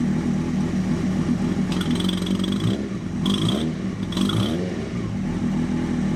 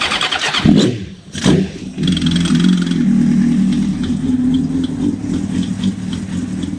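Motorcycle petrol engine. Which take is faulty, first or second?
first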